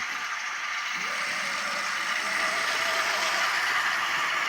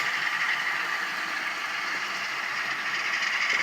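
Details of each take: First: Atlas Cotton Belt RSD-4/5 locomotive motor after rebuild, unrun for years: thin, steady high whine firming up as the small motor spins, with a light rattle; commutator may need lubricating, more likely just needs run-in. Cause suspected, not confirmed. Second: Rebuilt Atlas Cotton Belt RSD-4/5 model locomotive with original decoder reinstalled: smooth, even high-pitched motor hum with a little light rattle and no sharp whine; earlier whine is gone, motor running healthy.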